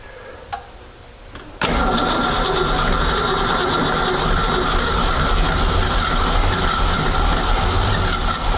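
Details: 1976 Ski Nautique boat engine, Pertronix D231801 distributor, first start: fires and holds raised throbbing speed only with throttle opened, won't idle; rough running, owner suspects clogged carburetor jets, plans carburetor replacement.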